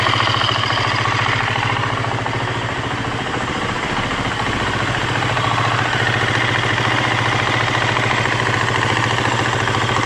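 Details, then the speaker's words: 2015 Husqvarna FE350S single-cylinder four-stroke after top-end rebuild (piston, cam chain, tensioner), warming up on lift, coolant circulating, oil level correct: steady even quick idle, no knocks or rattles; motor sounds good. "Awesome. Coolant's moving good. Oil looks good, right there where it needs to be. Motor sounds good."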